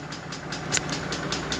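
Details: Mercedes G-Class, M104 3.2 L 220 hp: a rough, uneven idle with irregular puffs and shakes and a stumbling beat. Low compression; an endoscope found a burnt piston in cylinder one.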